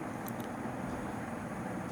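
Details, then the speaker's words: Crompton Greaves HS 36-inch ceiling fan at top speed after bearing replacement, with a 2.5 µF capacitor: a soft, steady whoosh of air with no ticking, grinding or rumble. The earlier bearing noise is gone; it runs quietly. "and the fan is really silent there are no more bearing noises like previously it had"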